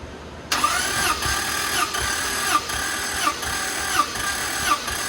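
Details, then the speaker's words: Toyota Land Cruiser that lacks power and eats oil, compression test while cranking: this cylinder reads about 180 with steady, even compression beats roughly every three-quarters of a second and no missing stroke, so it is healthy. "Got about 180 on that one. That one sounded healthy."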